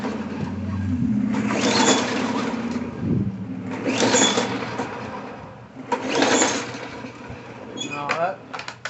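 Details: Bolens 22-inch push mower, Briggs 4.5 hp, tank found bone dry, fresh gas added, primed seven times for first start; three recoil pulls turning over briefly without catching; no start, later traced to a carburetor fault.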